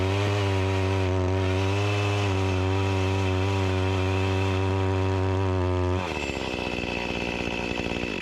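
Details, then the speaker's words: Echo CS-352 chainsaw that starts then dies; steady high rev for six seconds, then note drops, rough and sputtering as it cuts; lacking power even with carburetor screws adjusted to max, bogging under load from fuel starvation. "this isn't getting the gas that it needs it's lacking the power I adjusted the screws to the max"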